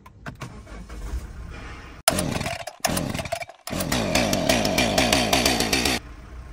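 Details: Auction diesel with a turbo, started with foot on the brake: the starter cranks briefly, then the engine catches at once and settles into an even clatter with no misses or stumbling. Healthy start.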